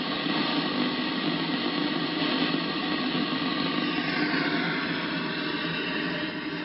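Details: Icom IC-7100 receiving on the 2 m band near 145.1 MHz, easier to hear in AM: steady rushing hiss with a buzzy texture and no speech. The interference appears only when two signals transmit together and makes weak local repeaters unworkable.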